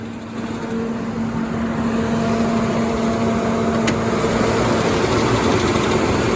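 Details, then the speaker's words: Nissan that starts and runs well, exhaust quiet with no leak: even idle with a light, quick tick at roughly three per second; owner calls it a lifter tick and wonders about a tune-up, cause not confirmed. "Exhaust is kind of quiet, but it doesn't really leak like the last one, so I might just leave it for now. She starts and runs good, other than the tick."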